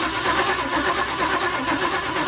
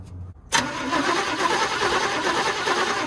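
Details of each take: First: 1962 Chevy short-bed pickup, parked 20 years, cranking on the starter with spark present. It rolls over at a steady, fairly even rhythm, only slightly off between strokes; compression is even. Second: 1962 Chevy short-bed pickup, parked 20 years, cranking after chewed plug wires were found; the spark is confirmed. About five seconds of steady, even cranking never catches; no start from lack of fuel.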